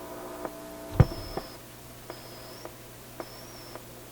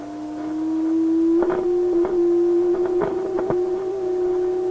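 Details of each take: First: Atwater Kent 944 vacuum tube radio after grounding the can, which had been picking up hum: now plays quietly with only faint regular ticks and a soft low background; the loud mains hum is gone. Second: Restored Atwater Kent 944 tube radio that howls when tuned, during alignment: a steady howling tone drifting slightly upward with crackles. An IF trimmer turned too far sends the stage into oscillation; backing it off stops the howl.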